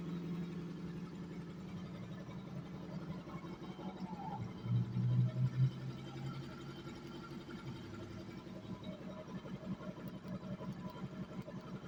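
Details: 1992 Honda Nighthawk 250 converted to dual sport, with stock jetting, airbox and air filter: starts and settles into a quiet, low, even idle putter of a couple of pulses per second, with no knocks or rattles. Runs healthy.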